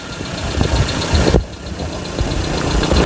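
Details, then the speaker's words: 2001 Suzuki Carry Futura Realvan 1.5 GRV engine at idle with throttle blips: it settles back evenly with no metallic knock and no white exhaust smoke. A "ting ting" sound is said to be typical of the Futura, not the valves. The engine sounds smooth and healthy. "Jadi kita geber pun suaranya dia masih tetap halus."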